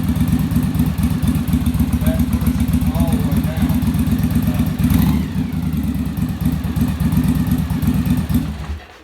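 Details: Yamaha Virago V-twin, on-engine carburetor sync after a bench sync, linkage deliberately turned clockwise: lumpy, uneven idle with stumbling pulses; carbs out of balance.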